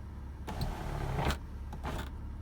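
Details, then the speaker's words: BMW sunroof that won't close fully, tilt reset done by holding the switch forward about 20 seconds: a brief electric motor whir, a pause, then a second short whir confirming the tilt travel has relearned. Sunroof tilt initialization complete. "And there you go. You heard the noise again. That was confirmation that it successfully reprogrammed itself, so it knows the full"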